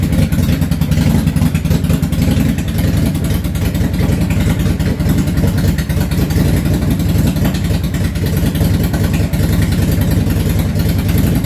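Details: Yamaha V-Star 650 Classic, completely cold, choke off, after new fuel lines, fuel pump and carb work: heavy, uneven idle with skipped pulses, the front cylinder cutting in and out and the rear steady. Suspected front carb fuel-transfer issue.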